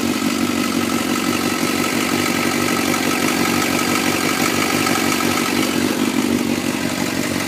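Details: 2004 Suzuki GSX-R 600 at cold-start idle in Arizona: busy even idle with fast light ticking, steady speed; owner suspects the cam chain tensioner needs replacing, not confirmed.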